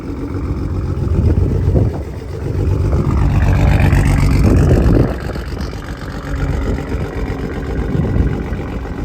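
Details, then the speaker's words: Toyota Supra after rebuild, exhaust heard from rear while driving, with smoke; rough exhaust note with dull knock about four per second swelling with revs; engine knock, owner suspects piston slap. "but then the that knocking sound you guys hear that is known as piston slap"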